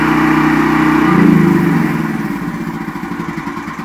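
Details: Brand-new Westinghouse WGEN9500 generator, restarted after its bad-gas surging was fixed: it settles from a steady high drone into an even, slower beat of about four per second. No hunting or surging.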